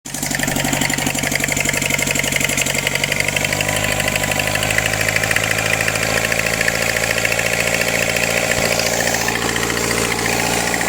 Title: {SOLVED CHECK COMMENTS}engine weird sound and backfire on carb swap